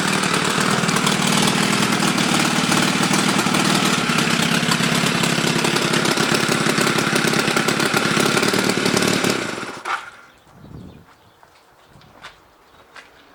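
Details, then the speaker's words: Chinese clone of Honda Rebel 250 engine, rewired and revived: loud sharp raspy chuffing through steady idle until shutdown; exhaust leaks left unfixed because engine's exhaust screw holes are broken. "It has some exhaust leaks but I couldn't fix it because the screw holes in the engine were broken. So it will be loud."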